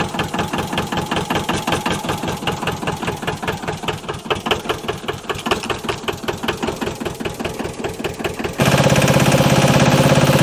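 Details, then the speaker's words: JLG 40H diesel man lift, long-sitting, just after bleeding fuel system: loud regular diesel clatter at about three beats per second settling into steady idle after first start. "look at that like the moment that we got the fuel system to bleed this thing just takes right off that's awesome"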